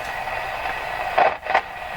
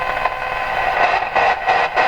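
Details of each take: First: Canadian Spartan Model 5542 vintage radio after replacing the capacitor suspected of causing motorboating oscillation, tuned between stations: even soft hiss with a couple of brief crackles; normal atmospheric hiss. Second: Canadian Spartan Model 5542 radio after capacitor replacement for motorboating: scratchy static bursts and crackle as the band selector is switched to shortwave and back, then settling; dirty band switch.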